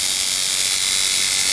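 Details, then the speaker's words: Coil tattoo liner machine being tuned by the nickel-and-dime method: fast, thin buzz with harsh, uneven edge; contact screw gap still too wide, needs closing down toward dime thickness; contact gap out of adjustment. "That sounds a little better. Needs to come down a little bit more."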